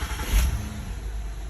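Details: 2011 Honda Odyssey EX-L after battery and alternator replacement: short crank catches at once and drops into a smooth, even idle with no grinding or slow cranking; normal engine start.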